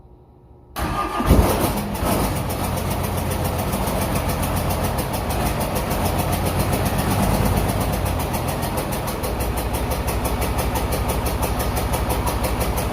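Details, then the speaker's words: 1994 Dodge 250 12-valve Cummins with P-pump, first test run after reassembly: fires after short crank into loud, clattery idle with uneven ticking; air in injector lines, valve lash sounds very bad, valves to be reset. "so I bled every individual injector line to try and get the air out and it's running a little better but it's still I got the air out but it still sounds like the valve sets really bad"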